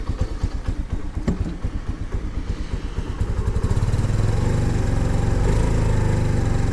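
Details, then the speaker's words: 2022 Honda Navi carbureted bike, kickstarted at about 28°F after three minutes on choke: ragged, irregular firing at two-thirds choke, then it catches and holds a steadier, louder idle once set to half choke. "nope still not quite happy nope doesn't like that let's go half choke there we go"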